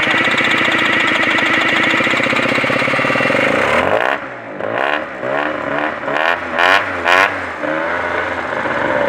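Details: NRG scooter: small engine idles busily, then revs in short blips with sharp knocking raps; cause unknown, owner asks for suggestions.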